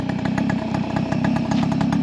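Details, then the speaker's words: Tomos LX moped, two-stroke on premix, warm after a ride: quick, even putter at a steady rate with no misses or surging, now idling on its own. Oil is sprayed on the rim and the owner suspects an oil issue. Normal warm idle. "Oh, I guess it does want to idle now."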